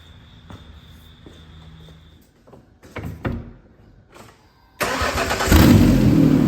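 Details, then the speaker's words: Truck that would not start after sitting for months following an engine replacement, previously grinding and dragging hard: after a new starter and cleaned cables with a new ground cable end, a few clicks, brief crank, and it fires straight into a strong, even run. "Well, that sounds a whole lot better rather than"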